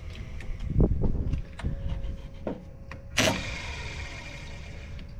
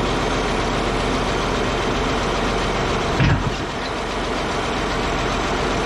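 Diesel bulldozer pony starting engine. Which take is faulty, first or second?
first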